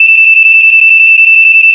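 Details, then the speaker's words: GE Home Sentry 8201-401C vintage smoke detector tested: loud piercing single high tone for nearly two seconds then stops cleanly; piezo horn works properly. "Okay, and as you can hear it has that ting. That's what I call the ting after like when it stops sounding."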